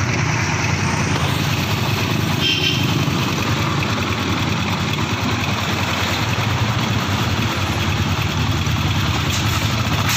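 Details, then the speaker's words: Sniper MX150 after removing and refitting the clutch housing to fix the clutch damper problem: steady, even idle with no clutch-side rattle or clatter; the engine is quiet and healthy again. "Tahimik na uli yung makina yan. Wala na yung dumatagasa."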